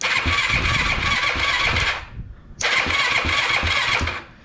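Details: Yamaha YFZ450 after top-end rebuild, electric start with clutch held in: starter cranks, single fires into fast raspy idle, stops, restarts cleanly; starts normally.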